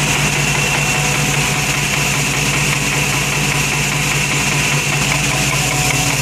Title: Ticking noise